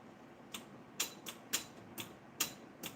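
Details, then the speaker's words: Furnace gas valve makes sharp dry clicks about once a second when switched on, but no gas comes out and the burner doesn't light; thermostat or valve suspected, cause unconfirmed. "that? It's clicking. But when you open it up, nothing comes out. Like I just opened up the gas valve here. Nothing."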